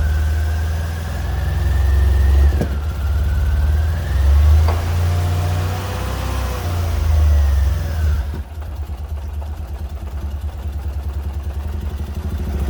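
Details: Fiat Punto GT petrol engine, refuelled after owner assumed it stopped from running out of fuel or dodgy fuel: fires, revs briefly and drops into an even, steady idle with no misses or knocks.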